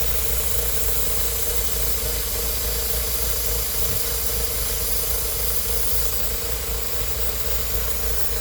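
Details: BMW Z3 1.9 M44 petrol engine idling: loud steady hiss; vacuum leak suspected, not confirmed.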